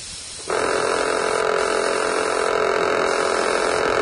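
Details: HAO SHENG (Vogue) HS217 airbrush compressor switching on into a loud, steady, harsh buzz; a defective noisy unit as received, it should run quieter.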